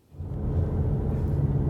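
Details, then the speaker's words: 2019 Ford Mustang EcoBoost (S550) cabin while driving: steady low road and engine rumble with no clicks or buzzing from the dash trim panel after foam pads were added behind it; the trim rattle is gone. "As you can hear, there's no more rattle. I can't believe I actually was able to fix it, but there's no more rattle in the trim panel."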